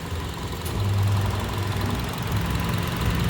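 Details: Honda CR-V 2.4L petrol towed in for power loss, cutting out and hard starting, after fuel pump current check, fuel pressure 50 psi: steady even low idle rumble, no misses, stumbles or knocks; normal idle.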